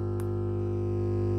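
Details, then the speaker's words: Home stereo fed by AUX-to-RCA cable with no audio ground connected: constant, steady low buzzing hum from the speakers, caused by the missing ground connection. "so that hum is when you don't have a ground connected"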